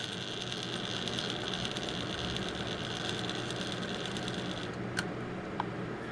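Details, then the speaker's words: Marx 999 model train motor after repairing its drive bearing by re-seating the gear and punching the plate ridge to hold it: smooth, even whir with a steady light hum and no rattle; runs much quieter than before. "and then that holds it in place inside of the plate you can just hear how much quieter this runs now"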